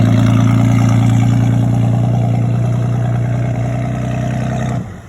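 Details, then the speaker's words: KLC boat engine at low speed before the no-wake zone: steady low drone with choppy, puffing exhaust pulse that sounds like misfire; engine runs smoothly, water trapped in a large low spot in the exhaust pipe. "you know earlier it sounds like a misfires but we figured out there's a low spot there's a huge low spot in the exhaust pipe and the engine has to blow the exhaust water out of that low"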